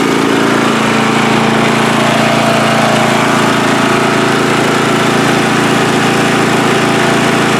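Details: Free riding mower on a first start test after its gas tank was drained and fuel was added by hand amid flooding: a steady, even single-cylinder drone at constant speed with no misses or surging, running smoothly.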